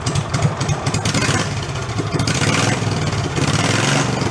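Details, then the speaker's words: Amusement-park go-kart with its 5 hp engine replaced by a 16 hp engine, muffler removed, a little choke: loud unmuffled bark, ragged at first, then a steady, even run; healthy. "That's more like it. I like it better with no muffler. I think we need something that's just more of a tailpipe."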